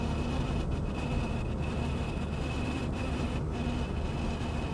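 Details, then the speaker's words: 1951 Chevy on a shakedown drive: thin steady whine over road rumble from the speedometer; owner suspects a dry speedometer cable and plans to lubricate it. "I'm pretty sure that's just the cable so what I'm going to do is I've got some lube I'm going to loosen it up pull it out goop up the cable put it back in and see if that quiets it down"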